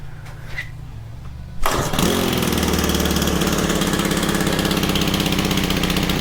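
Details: Honda FG110 tiller with GX25 engine, new Amazon carb fitted by owner, previously ran only on half choke: pull start, then rough uneven putter that sags and struggles; suspected untuned aftermarket carb, oil-soaked filter noted.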